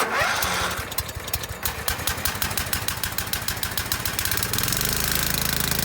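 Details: Scotts by John Deere riding mower (42-inch deck), 16 hp Kohler Command engine, first start after repairing damaged wiring for a no-spark fault and re-mounting the loose engine: uneven cranking pulses for a few seconds, then catches and idles smoothly; normal start and idle.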